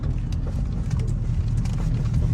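Only smooth, even tyre and road rumble while driving, with no growl rising with speed; the front wheel bearing sounds healthy.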